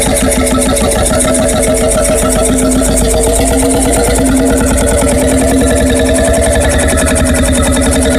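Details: Freris-built Syros 1950-55 two-stroke 12 hp single-cylinder diesel, wick-started, restored 2014 after about 40 years idle: slow, even chuffing about three to four firings a second; running steadily and healthily.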